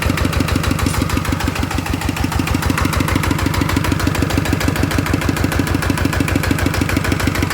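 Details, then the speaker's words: One of two single-cylinder ET diesels (ET95/ET110) refitted for water pumping after seepage and an air-leak noise, cover replaced: steady even thump at about two beats a second, no knocks or rattles; idles smooth, judged fine. "ก็ถือว่านิ่มดีนะครับใช้ได้นะครับ"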